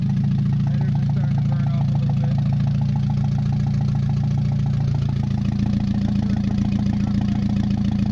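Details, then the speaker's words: Mazda 626 first start after cylinder head reassembly: low idle with an uneven pulse and a slight tone shift, some knock; rough fluctuating idle, owner suspects bad EGR or old gas. "but the fluctuating idle is uh could be really old gas starting toit here some knock a lot"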